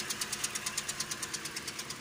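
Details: 2013 Toyota Corolla 2.0 gasoline engine, said to quiet down when warm: sharp regular ticks about nine per second at idle, first suspected as rod bearing knock. Found to be broken roller rockers with loose valve clearance.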